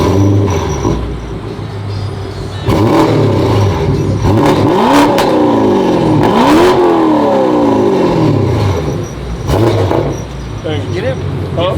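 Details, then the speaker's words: Car after exhaust shop repair, heard from the back: revs climb and drop cleanly with smooth, even exhaust note, no raspy sound or rattle; exhaust now sealed. "so yeah as you can see we're back no more little rusty sound"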